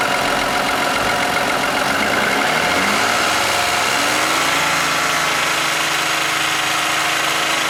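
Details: Toyota Aurion with the oil light on and clean oil, recently started rattling: a loud buzzing whir that rises and falls with revs; oil pump whine from a sludge-clogged oil pickup screen.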